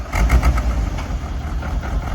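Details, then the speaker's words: 1994 Corvette (manual) on its first drive after a radiator flush and core plug change: uneven, lumpy idle with irregular low thumps and stumbles; owner suspects a stuck-open injector, running and smelling very rich. "Yeah, this thing's got a stuck injector. It's blowing fuel."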